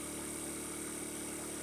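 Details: 50cc Chinese scooter with 13 miles, warming at idle after draining water-contaminated fuel from tank and fixed-jet carb, new spark plug and idle raised, charging about 13V: smooth, even steady hum with no misses, rattles or hunting; normal idle.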